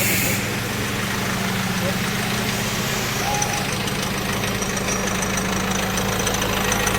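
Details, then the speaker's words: Mahindra Marazzo diesel: on light throttle rpm races very high and a rapid tak-tak knock comes from the engine, over the idle clatter; ignition must be switched off to make it normal again; cause unconfirmed. "Problem है कि हम जब गाड़ी में हल्का सा accelerator देते हैं तो आरपीएम बहुत ज्यादा फास्ट हो जाते हैं और इंजन में से टक टक टक टक इस टाइप का साउंड आने लग जाता है"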